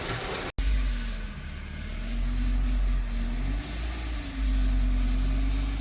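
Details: Freshly rebuilt 2007 Audi A4 2.0 FSI (141K miles), restarted for initial break-in after coolant refill: idle hums unevenly, sagging and picking back up with a lumpy beat, a misfiring engine hunting at idle.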